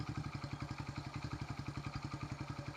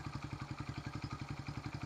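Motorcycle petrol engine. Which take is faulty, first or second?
first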